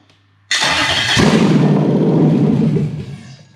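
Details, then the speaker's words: Toyota 1UZ-FE non-VVTi V8 with an immobilizer delete unit: it catches with a loud burst, runs ragged about two seconds, then dies with no fuel pump hum. The ECU's fuel pump circuit is faulty. "and it stops now you may not hear it but i don't hear it either the fuel pump isn't going"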